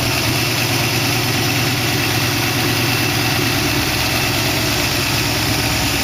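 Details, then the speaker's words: 1914 Dodge Brothers rat rod roadster with 1962 Oldsmobile 392 V8 and Hydro, first start with no coolant in it: smooth, even V8 idle, steady low rumble; lifters ticked at first start but calmed, no ticking or misses now, healthy. "i don't really want to run it much more than this don't have any water in it sounds good though"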